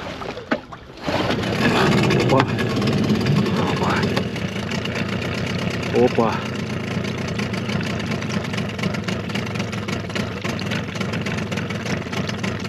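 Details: Suzuki DT 9.9 (15) two-stroke outboard, new, first start after over a year unstarted since factory check, cold snowy day: starts easily after short crank, unsettled buzzy idle wandering 650–850 rpm before warm-up; cause unclear.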